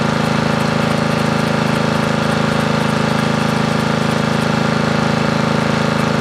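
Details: Briggs & Stratton 13.5 riding mower engine bolted to bench, gas fed to bowl, earlier flooded, mouse nest inside: single cylinder thumping steadily about 200 beats a minute, firing even; bogs and stops, owner suspects flooding/hydrolock or mouse nest.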